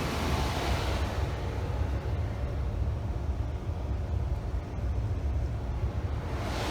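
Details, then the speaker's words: Legacy gas furnace, found wrongly installed, after fixing no-heat/indoor blower problem: low, steady even hum with no knocks, rattles or squeal; inducer motor sounds smooth, normal running. "it's quiet and back on but good lord i almost hate to tell them by the way that's the wrong furnace and it's been installed wrong for all these years"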